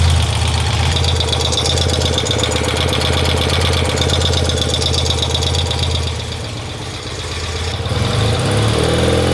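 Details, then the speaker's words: BMW R90/6 boxer at idle after valve adjustment work: a fast, light sewing-machine ticking clatter at about three beats a second, unchanged with revs, as loud as before; rocker play ruled out, a bottom-end problem suspected. "mon opinion c'est que c'est un échec sur toute la ligne ça fait toujours autant de bruit"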